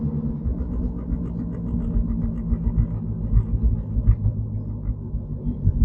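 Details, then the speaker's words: 2014 Ford Flex on a test drive: a deep, uneven rumbling hum with rough pulsing, felt and heard through the car. The CV axle boots are not broken, and the source of the grinding drone is not yet pinned down. "it's definitely reverberating through the CER oh yeah you can feel it you can hear it"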